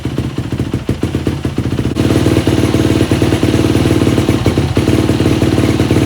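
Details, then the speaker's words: Yamaha YZ250F dirt bike that kept stalling after starting, after clearing a clogged pilot jet (42 stock) and fitting a Boyesen Quickshot 3 accelerator pump: fast single-cylinder idle, still somewhat uneven and hunting, better than before but needs carb adjustment. "now it idles a little bit better so that helped out a little bit"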